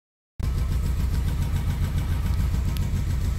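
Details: Mercedes-Benz W212 E300 petrol on cold start: very rough, lumpy idle that may stall and clears after about ten minutes of warm-up, caused by an intake manifold air leak; the manifold variable flap was also stuck closed.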